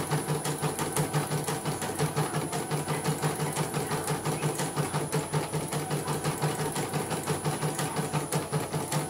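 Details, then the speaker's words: CNY M19 embroidery machine, previously totally dead or only blinking, now running after repair. Steady, even stitching at about three stitches a second with smooth thread pull; the fault was a shorted dynamo (motor). "Oke, sudah tidak bisa ya, kita akan coba jalankan kembali. Tumpuk aja lah, nggak apa-apa. Oke, tarikan normal, benang tidak tersendat-sendat."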